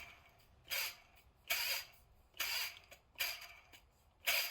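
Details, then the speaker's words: Mercedes M119 V8, accessories being removed to reach the upper oil pan. Belt pulley spun by hand near the tensioner (19mm centre bolt): short raspy hissing bursts about every second, a dry pulley bearing judged toast. "how dry that bearing sounds? Let's see if I can get a better sound of it here. Yeah, that bearing sounds toast."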